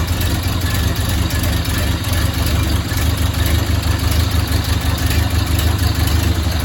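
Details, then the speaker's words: 1929 Ford Model A Tudor four-cylinder, rebuilt and once seized, running after 40+ years: low, steady even idle with no knocks or misses, sounds good now; carburetor still needs adjustment and the radiator won't hold water, so only short runs. "I wanted to show you that that I finally got it started and it'll run for a little while yeah sounds good now"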